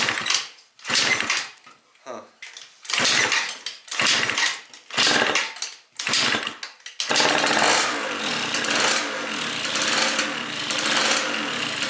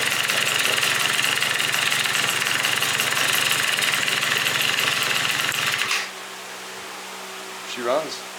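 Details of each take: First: Yamaha Vino scooter first start after fitting a 70cc big bore kit, new coil and aftermarket exhaust: sputtering catch, then loud raspy crackle over the two-stroke idle from a major exhaust leak; fixed by replacing the exhaust gasket. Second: Yamaha Vino two-stroke scooter with 70cc big bore kit after replacing the leaking exhaust gasket: buzzy, high-pitched steady running for six seconds with no puffing or ticking, then shut off; normal running.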